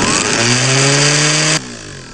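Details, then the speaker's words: Universal motor speed controller turned all the way down to its slowest setting, as it came out of the box: the small motor runs at a high steady whine with no slowdown, then cuts off; controller fails to reduce speed. "that's all the way dead slow as it came out of the box"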